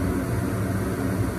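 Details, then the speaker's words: Home gas furnace in heat mode, house at 45°F, after igniter heat-up and gas release: steady, even burner roar with a low rumble and no cutting out; the flame sensor detects flame and the furnace continues normally. "or sorry sensor is reading that we do have a flame so because of that it should send a signal back to the main that says we are good to continue"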